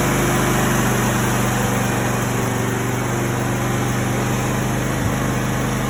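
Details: Push-button no-start caused by a bad solenoid, now fixed; engine starts and idles normally with a steady, even low drone and hum, no misses or knocks.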